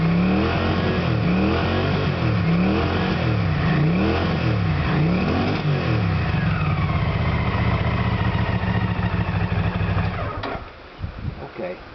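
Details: Small two-stroke that stalls when the throttle is opened slowly, tested with a substitute SDI ignition unit plugged in. It revs up and down repeatedly, holds idle without stalling, then shuts off. The wiring is fine; the original SDI unit is faulty.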